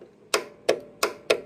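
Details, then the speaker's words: Everride Yellow Jacket mower with a Kohler 23 hp engine, 843 hours, clicks but won't start with all safeties good. At key-on the solenoid gets full voltage from a slightly weak battery and gives four crisp, clean clicks, a normal solenoid engagement. "It's sending full voltage through the solenoid. You can hear the solenoid click, listen"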